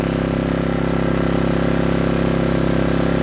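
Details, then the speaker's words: New Power Smart 3800 W dual-fuel inverter generator on its first break-in run, idling with no load and the eco idle control off: smooth, quiet, even hum with a regular beat near 220 a minute and no surging or rattles, a normal idle. "finally got it. You hear it running. It's uh really quiet. That's not even with the uh idle control on the echo to make it quieter."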